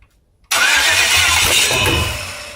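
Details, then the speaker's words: GM 5.3 LS engine's first start with security not yet programmed, and no oil added yet: silence, then the engine catches and runs about a second before dying. Engine starts then stalls from the immobilizer. "now I said I don't have that son programmed yet so it'll just fire up for like a second mm and die but you do that a couple of times"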